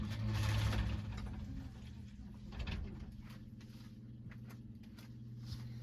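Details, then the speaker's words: Sump pump running fully submerged in a closet during a sound test of a sump pump cover. A quiet, steady low hum with faint ticking and nothing harsh. Normal running. "So this is what it sounds like when it's underwater."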